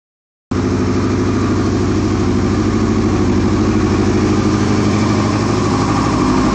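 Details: 2001 Yamaha R6 motorcycle idling loud with uneven, lumpy pulses and slightly hunting beat; rough idle, cause not pinned down.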